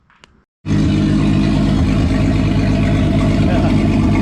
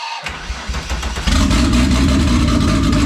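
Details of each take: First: VW VR6 turbo engine with methanol injection and intercooler at final assembly after rebuild; open throttle body tied together to get it to idle right: fires up and settles into steady, even idle, no misses or clatter; idling cleanly. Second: First start of a rebuilt turbo, methanol-injected VR6 with turbo plumbing not yet fitted: cranks, catches and settles into a ragged, stumbling idle pulsing about four times a second; owner blames vacuum leaks and a tune set up for the turbo.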